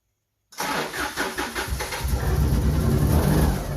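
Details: Subaru SVX after swapping in a different ECU, previously crank-no-start: brief cranking, then it catches and settles into a steady, even idle within a second; starts and runs normally.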